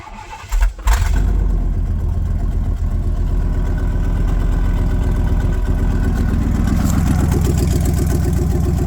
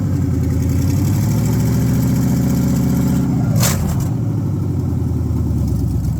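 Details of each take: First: Old V8 truck started with one catalytic converter cut out of the exhaust, awaiting headers, X-pipe and high-flow cats: cranks, catches and settles into a deep, loud, lopey rumble with open burble. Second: Pickup truck V8 first start after fitting new headers, check engine light already on: deep, even rumble holding steady idle with no ticking, puffing or misses; headers quickly hot; normal idle.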